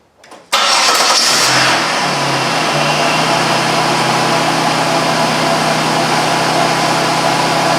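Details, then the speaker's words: 2001 Buick Park Avenue after AC compressor clutch and pulley bearing replacement (air gap set to 0.030 in): cranks, catches quickly and settles to a smooth idle with no growl from the pulley with the AC off; the bad-bearing noise is gone. "I did run it no horrendous noise when it's not on now which is good"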